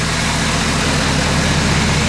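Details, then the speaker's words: 2011 Ford F350 6.7 Powerstroke after engine replacement, first start once a shorted sensor was replaced: big diesel settles into a steady, even low idle clatter with no misses or knocks; normal idle. "well as you guys can see she's running"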